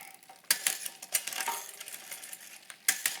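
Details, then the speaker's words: Bicycle front derailleur with high limit screw deliberately dialed out: sharp metallic clanks and rattles while pedalling as the chain overshifts off the big ring to the outside. "So I've dialed out my limit screw. So what's going to happen now is it's going to bump out to the outside."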